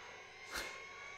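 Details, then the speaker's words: AT&T PC6300 old MFM hard drive spinning up after not spinning at first: thin steady high whine with rushing swelling air noise, louder and rougher than it should be; BIOS then reports no drives found. "the sound of a jet engine that we all know and love oh that doesn't sound good"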